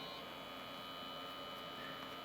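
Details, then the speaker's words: TiVo Roamio DVR, lid off, freshly lubricated small cooling fan running: faint steady high whine with hiss that grows quieter as the fan works itself in after oil is applied while it runs; fan noise. "I can still hear it. Okay. I'm going to be naughty on my head bit. I'm going to apply a little bit while it's running. It is getting quieter."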